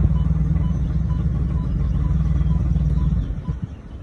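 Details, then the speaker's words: 2008 Audi Q7 whose car won't move in gear: shifting from park to reverse, neutral and drive brings a deep rumble with rough pulsing that quiets in neutral. Owner believes the transmission is not engaging; unconfirmed. "here's the sound here towards where i believe the transmission i believe it's not engaging in and switching the gears out so here's the noise when i switch it from part to to reverse and neutral and drive"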